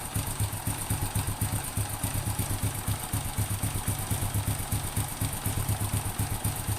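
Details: Honda Supra X 100 (C series) that had a clacking knock from the right crankcase at idle, caused by worn cam chain rollers: after handling, an even putter of about four beats a second at idle with no chain rattle.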